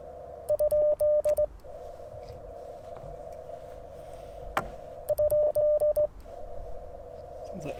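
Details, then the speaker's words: Icom IC-705 sending QRP CW with a cootie key (sideswiper): a steady keyed sidetone beep broken by sharp crackles and pops, and the key contacts are suspected of an intermittent connection. "contacts are having a little bit of an issue here you hear that crackling X okay"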